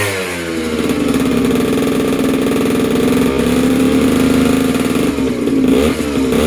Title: First startup after rebuild. Polini Corsa, PG short